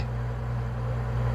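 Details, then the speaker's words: Norcold marine refrigerator after replacing thermostat (635832 kit) to stop it freezing everything, power on with thermostat set to 3: low steady hum with even pitch, no clicking or rattle; compressor running normally. "you can see the light came on and I don't know if you can hear it but running"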